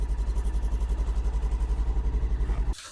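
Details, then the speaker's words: Polaris Ranger XP1000 NorthStar Trail Boss Edition with electronic fuel injection, started at 26 below zero with auxiliaries switched off to save battery voltage: even, steady idle pulsing about four beats a second, no knocks or misses. Normal cold-start idle. "cold and by far the coldest temperature I've ever started to R here it's running I a really happy about it"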